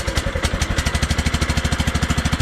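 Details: Craftsman LT1000 lawn tractor fitted with a Kohler Command engine from another machine, running normally: steady, even single-cylinder beat at a fast idle with no knocks or misses.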